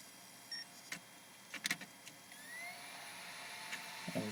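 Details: Wii disc drive after the fix: a few light clicks, then a clean rising whine as the disc spins up smoothly. Grinding was from the spindle rubbing its arm, cured by loosening two magnet screws and shifting left.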